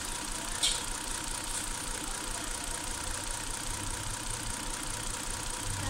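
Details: 2008 Hyundai Santa Fe V6 warm idle: faint uneven lope under steady hiss; ignition misfire, oscilloscope diagnosis points to a damaged coil on cylinder 5 killing that cylinder's spark.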